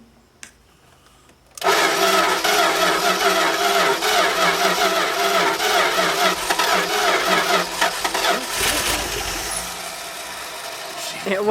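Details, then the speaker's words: 1970s Dodge Power Wagon V8 plow truck, parked 40 years, after points and starter work: catches and settles into steady, even rumble with no knocks or misses. "went she ran listen to that baby fur got a nice Rumble yeah it does keep her"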